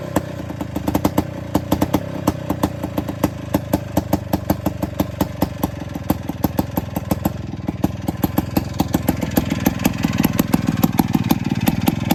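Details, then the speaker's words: Attex 6x6 with two-stroke Rockwell engine, new lighting coil and adjusted points: fires right up into crisp, even popping at a steady fast idle with light clatter; earlier no-start blamed on fuel accidentally shut off. Normal running. "All right, so as you hear, it fired right up. So I think last time I just accidentally cut the fuel off on it."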